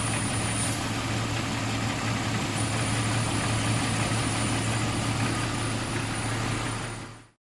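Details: 2001 Jeep Cherokee at idle: thin high-pitched whistle cuts out when a finger covers the cracked vacuum line, then returns and holds; vacuum leak confirmed as the whistle's source.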